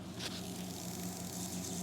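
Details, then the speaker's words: Amana AFI2538AEB refrigerator not cooling, leak test with bubble spray on condensate loop pipe: faint steady high hiss; refrigerant escaping from pipe leak. "let's spray some bubbles on there and see if there's still enough gas to trigger yep you can hear it"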